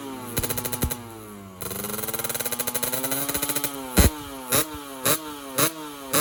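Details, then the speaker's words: Two-stroke motorcycle engine after block rework, radiator water normal: sharp throttle blips rise and drop quickly with thin, crackly top-end revs. Lean running at the top end; a bigger main jet is planned. "Bagian atas mesin masih bekerja terlalu irit. Jadi, kita perlu melakukan apa ya namanya ? Coba setel lagi."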